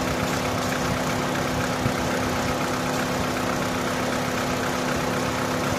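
Smooth, steady idle with a constant hum and no stumbling or surging, so the engine is now running normally.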